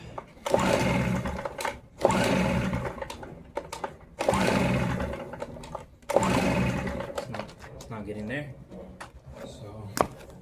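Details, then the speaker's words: Stihl BR 380 backpack blower that won't start: repeated pull-start bursts spin it briskly with a few sputters but no catch, on choke and then off choke, sounding like it's about to start; cranks but won't start, cause not yet found. "Sounds like it wants to, but it won't quite just get there. And then when I go off choke, it sounds a little bit more better. It sounds like it's about to start."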